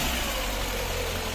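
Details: VAZ 2110 petrol engine idling: heavy low drone and throbbing rumble through the body after suspension rebuild; vibration persists, traced to misaligned engine mount being re-centered; previously Priora stabilizer struck tunnel.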